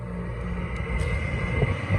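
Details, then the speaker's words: Window air conditioner, running after a first-time capacitor replacement: very loud, steady rumbling drone with a high whine on top; the fan motor needs new bearings or replacement. "It starts. It's just louder than heck. So if you hear my voice raise a little bit, you're gonna understand why in a minute. Fan motor needs new bearings, or just downright needs to be replaced."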